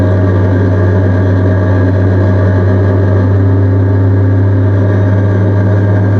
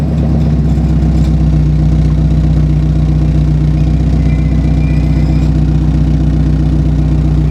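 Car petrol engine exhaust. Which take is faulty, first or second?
second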